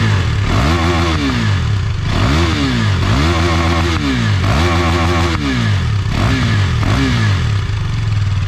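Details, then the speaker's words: KTM Duke 390 after two weeks parked, warming up beside a wall that makes the exhaust boom: repeated sharp rev blips rising and falling cleanly from idle, no misfire or rattle; normal revving. "ചുമരിൻ്റെ സൈഡിൽ ഇങ്ങനെ ഇരിക്കണ കേൾക്കുമ്പോഴേ ഭയങ്കര മുഴക്കം പോലത്തെ sound കേൾക്കണം കേട്ടോ. ചുമരിൻ്റെ side ആയതുകൊണ്ട് അടിപൊളി. മുകളിൽ ഭയങ്കര മുഴക്കം പോലെ കേൾക്കുന്നുണ്ട്."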